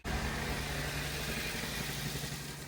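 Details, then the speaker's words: 2006 Pontiac Vibe four-cylinder, over 450,000 miles, code P0303 cylinder 3 misfire: uneven idle with slight repeating skip; coil swap test shows no response unplugging the moved coil, so bad ignition coil. "So, we'll go at three first. We got good response. Okay. And then four. Got no response. We got a bad coil here."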